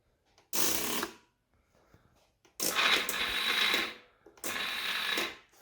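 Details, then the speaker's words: 2003 Polaris Sportsman 500 HO ATV that won't start: three short bursts of high, free-spinning starter whir with no cranking beat behind them; the starter spins without engaging the flywheel, and a worn Bendix is suspected. "so you hear the uh starter is just spinning like it's not actually trying to uh fully engage"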